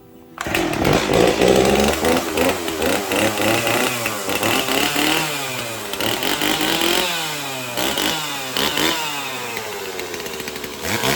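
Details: Cold chainsaw started on choke with gas-oil mix after sitting in a shed 10 years with fuel and oil left in it: two-stroke snarl revs up and drops back cleanly, picking up crisply with no bogging. Normal running.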